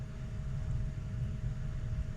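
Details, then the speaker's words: Boiler with basement floor heat, after restoring water flow (customer-closed valve, air bled): steady low roar with faint constant tone, no puffing or surging; burner lit and firing normally. "but now I got flow now the thing's lit"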